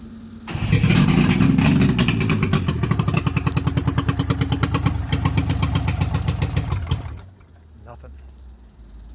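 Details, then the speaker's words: Carbureted two-stroke that had been sitting catches and runs roughly and lumpily for about seven seconds, then dies. Its gas is like tar or oil from too much two-stroke oil or tank dregs; fuel starts looking cleaner after more pumping. "Okay, I think I figured out my problem. The gas is like tar."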